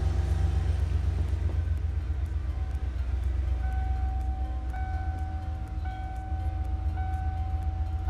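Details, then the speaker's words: 1989-1997 Ford F250/F350 7.5L 460 gas V8 after Saginaw power steering pump upgrade and bleeding, fluid level good, at idle: smooth, even low rumble with no pump whine or groan, much quieter than before; normal pump operation. "Hear how quiet that thing is. So much better. I mean, what a difference."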